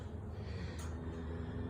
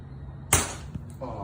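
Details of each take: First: 1962 Chevy C10 with 5.3 LS swap, redone cams and 4L60E, very first start after the built engine sat almost three years on a stand; starter cranks about four seconds, catches with a loud rough roar, cuts out, refires; normal first start. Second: 1962 Chevy C10 with 5.3 LS swap and 4L60E, engine off while priming fuel and watching the pressure regulator before first start; one sharp pop then a brief hiss; a fuel injector blew out.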